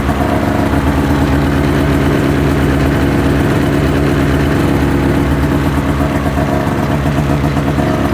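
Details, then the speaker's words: 2005 Ski-Doo MX-Z Renegade 600 H.O. SDI, warmed up, after a fuel pump, pressure regulator and strainer replacement fixing hard starting: steady, even two-stroke idle with a low burble, no misses or stumbles. "two miles on it good running good riding machine once it got warmed up but this will make life a lot easier for us"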